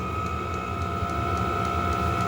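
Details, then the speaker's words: Heater (upgraded unit with fob start, restarted after shutting off) lit and burning normally as temperature climbs past 58–60°: steady fan hum with constant high tone over a soft even combustion roar. "60 you get the idea it's going up and you can hear the fan combustion has started it's moving"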